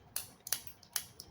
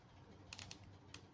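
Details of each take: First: 1995 BMW 325i (E36) automatic transmission solenoid, bench-tested with leads: light, sharp clicks, about five in 1.5 seconds; this one's action is weaker than the other solenoid tested. Cause suspected, not confirmed. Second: 1995 BMW E36 325i automatic transmission solenoid bench-tested on a battery: sharp, crisp, firm clicks about three a second; healthy new solenoid with stronger action than the old one removed from the car.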